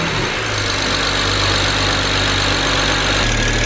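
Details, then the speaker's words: BMW 335i with N54 engine, after a misfire, now with new NGK plugs one step colder than stock, cold start: steady, even idle with a smooth low drone and no stumble or miss; runs smoothly, misfire fixed. "right running nice and smooth on the NGK plug as you can see even though it's a cold start a still runs pretty good with pulled the plug"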